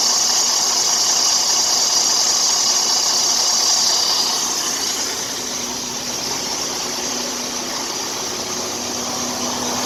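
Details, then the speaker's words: Freightliner Cascadia DD13/DD15/DD16 diesel idling: hissy chirping belt noise with faint rapid rhythmic ticking; worn belt tensioner pulling the belt to one side, tensioner needs replacement. "So for all of you that wonder how the belt sounds when it's going bad, this is how it sounds. The tensioner is actually pulling the belt to one side, to this side, and that's when the belt is going bad."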